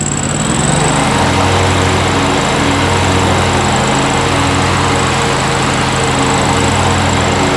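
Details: 2003 John Deere X485 garden tractor, 25 hp liquid-cooled Kawasaki EFI engine, 671 hours, recently serviced: it starts right up with a smooth, steady twin-cylinder drone, even beat, no misses or knocks, running as it should.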